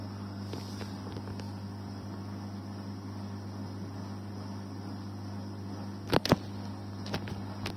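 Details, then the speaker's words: Arçelik 6343 dishwasher, after tilting machine to drain water from sump that caused "VUUUVVVV" noise even when off: noise gone, steady low motor hum with water swish and light clicks, running empty; normal wash cycle. "Bakın şu an ses gitti. Ses yok. Şu an normal yıkamaya geçti."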